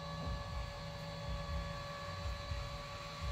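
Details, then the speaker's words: Royal Sovereign RSC-1650LSH 64-inch laminator running film onto a sign: low steady hum with a soft pulse about once a second, no squeal; rollers no longer grab, running quietly. "can hear there's no squeal anymore because there's only I don't know a half inch of that stuff down there it's not grabbing anymore"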